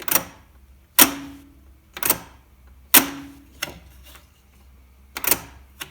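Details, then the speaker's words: Tascam 388 Studio 8 reel-to-reel recorder during troubleshooting: sharp single clicks about every second with no motor hum; the capstan solenoid pushes the pinch roller up and brakes release, but none of the three motors (including capstan) spin; owner suspects the motor power supply. "so no motors are turning and that includes the capstan motor but also I think these should be spinning but all it does you can hear the solenoid click as it pushes the capstan roller up and probably takes the brakes off"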